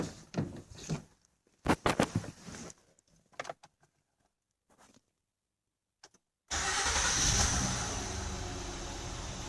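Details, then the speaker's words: 2008 Honda Odyssey EX-L 3.5 L J35 V6, replacement engine with 112K miles, new timing belt, water pump, plugs, VCM disable kit, first start after install: brief uneven cranking, then catches and settles into steady even idle; normal start and idle. "Well, she's running."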